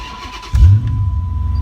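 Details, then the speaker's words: Car after a DIY fuel pump replacement; before, it cranked without starting and the pump wasn't heard. Now the pump engages at key-on and a short crank catches almost at once into a steady, even low idle. "I just replaced my fuel pump within 30 minutes and that's with me recording included this is an easy job people just try to have some you out your money and as you can see I replace my fuel pump put my key in ignition I hear my fuel pump engaged"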